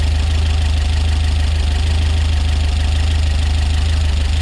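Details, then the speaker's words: Rebuilt Peugeot 205 GTi Mi16 engine on its very first start: steady idle with busy, rapid, loud tappet-like tapping; owner hopes it will clear up after a while, cause not confirmed. "Sappy, but apparently it'll clear up after a while. That's what I hope. Wow, really tappy that."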